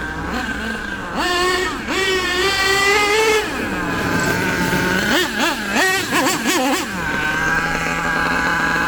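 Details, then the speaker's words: HPI Savage nitro RC truck with LRP ZR32 engine, after running too lean and backing the high-speed needle a quarter turn: high buzzy revs rise and fall cleanly with no bog. Mixture well tuned. "That high-speed needle, in my opinion, is pretty good now."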